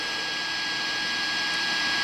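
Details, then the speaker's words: Arduino AM transmitter, not transmitting and with no audio fed in, heard on a radio: a constant high-pitched whine over hiss. The source is unknown; the USB power cable is suspected. "I'll turn up the radio here and you can hear that whine you can hear that"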